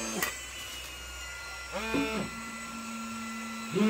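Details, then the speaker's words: CleanAIR AerGO powered filtration unit with the Omnira COMBI air flip-up welding helmet: the fan runs at full speed with short buzzing alarm bursts as the unit vibrates. This is the clogged-filter alarm at the fourth clogging level, and the speeds drop automatically after a filter change. "si elle atteint le quatrième niveau l' alarme sonne léger, la signalisation sonore vibre afin que vous puissiez voir l'unité de filtre vibre magnifiquement vibre très fortement et aussi vous pouvez voir l'alarme de colmatage du filtre"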